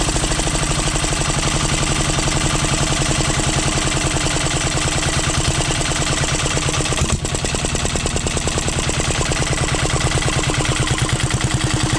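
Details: 12 HP air-cooled single-cylinder diesel, test run after overhaul; it had run once and then become hard to turn (owner suspected piston), valve clearance reset and oil added. Loud, even thump at a steady pace with no knock or rub. Normal running.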